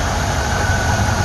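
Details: Ford 2100 carburetor replaced with cheap Chinese eBay unit, curb idle lowered: slow, even, low-pitched idle, estimated under 500 rpm, steady beat without misses or hunting; carburetor works.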